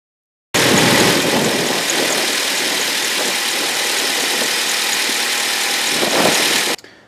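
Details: 2012 Ford Escape 2.5L at idle: harsh high-pitched squeal over steady idle, no speed change; accessory belt squeal from worn idler pulley.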